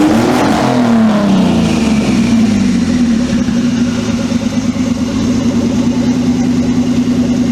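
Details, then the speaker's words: Twin-turbo Mitsubishi Triton, 3.0L 6G72 V6: sweeps up quickly and cleanly, then bounces steadily on the limiter; first time reaching rev limit (about 6500 rpm) with the new ECU, revs freely. "That hit rev limit. That is the first time this has hit rev limit up with the new ECU."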